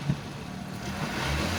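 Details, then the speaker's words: 2012 Suzuki APV blind van, G15A engine, about 248,000 km, oil not mixed with coolant: steady smooth idle then raised rpm, no metallic knock, misfire or stumble at low or high rpm. Healthy engine revving. "Yang pastinya baik baik RPM rendah maupun RPM tinggi tidak ada suara metal tidak ada suara pincang tidak ada suara merebet juga"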